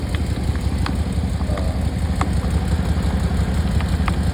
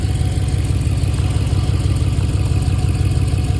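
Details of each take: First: 2013 Dodge Charger idling after a water pump replacement, with coolant spewing. There are faint, irregular light clicks every second or so over a steady idle, not a rhythmic knock. The owner suspects an air pocket in the cooling system. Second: 2013 Dodge Charger idling after a water pump replacement, with coolant being bled as the engine comes up to temperature. It is a steady, even low idle around three beats a second, with no rattle or squeal over the hum, so the engine is running normally.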